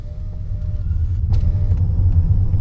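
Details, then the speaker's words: 2015 Lexus ES350 rocked with the sunroof tilted up or slid open: low rumble and a couple of soft taps but no clunk. The clunk over bumps only occurs with the sunroof closed and sealed. "so that means if if the roof is tilt up or slide out then it's not sealed then it doesn't matter how much i rock it's no dizzle"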